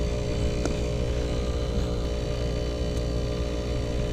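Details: Climate Master geothermal heat pump after low-pressure lockout, Y1 and Y2 jumpered, loop water 64 entering: steady, even low hum with constant electrical buzz, no knocks or rattles; running normally, no problems found.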